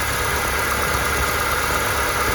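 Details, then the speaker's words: Engine idling after a new timing chain install and a fix for a rattle traced to a roll pin against the tensioner bracket: steady, even hum with no pulsing or metallic ticking; normal, quiet idle. "it seems all quiet in here and quite quiet out here"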